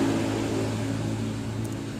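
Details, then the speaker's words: Honda Vario 150 scooter idling with a low, buzzy snoring chatter from outside the engine top: a loose radiator cap mount whose L-key bolt has come out; fan belt checked normal. "teman-teman bisa lihat untuk tutup air radiatornya itu dia kocak teman-teman tutup air radiator dia kocak sama baut kunci l nya itu dia juga udah keluar"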